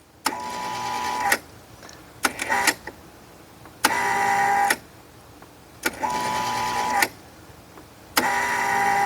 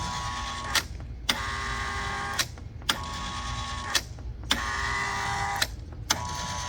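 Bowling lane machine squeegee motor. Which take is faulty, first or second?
first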